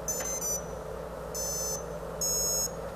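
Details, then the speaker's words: Drone ESCs on BLHeli 13.2 with Cleanflight flight controller, battery power-up: three short high musical beeps then two more over a faint hum, showing the motor is armed; normal ESC startup and arming tones. "and you hear the first three beeps and then the second two say that the motor is armed"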